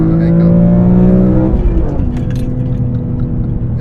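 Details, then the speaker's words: BMW E46 M3 SMG with CSL carbon intake, CSL engine and transmission tune, in cabin; deep intake roar climbing with revs then dropping at a crisp shift; loud, strong, healthy engine. "Dude, I don't know if it's gonna come over, but it is loud in the cabin, and it just sounds so visceral. It just sounds like the engine is like right here in your ear, pretty much."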